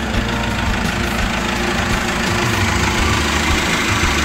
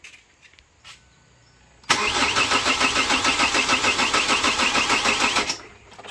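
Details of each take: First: 2008 Chevrolet Captiva diesel, previously hard starting, low power, smoking, rpm capped at 3000, after full turbo and fuel path cleaning, water sensor fitted: firm, even diesel clatter at steady idle, no misfire; revs to 4000 without smoke; normal idle. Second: 2008 Chevrolet Captiva diesel, hard starting hot or cold, smoky, low power, rpm capped at 3000, no warning lights: starter turns evenly about three beats a second for several seconds, never catches.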